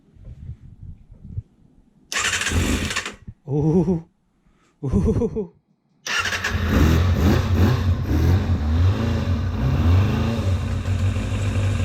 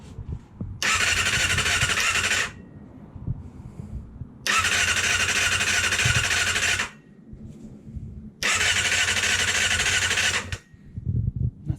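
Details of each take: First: Kawasaki ZXR250 first start in 18 years, with lube sprayed into the cylinders beforehand: several cranking bursts, then it catches and runs with a steady, slightly ragged beat and some expected smoke. The engine starts and runs. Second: Kawasaki ZXR 250 after 18 years unused, first start attempt with lube sprayed into the cylinders: three starter bursts of about two seconds each spin the engine briskly and evenly, but it never fires. Cranks but doesn't start.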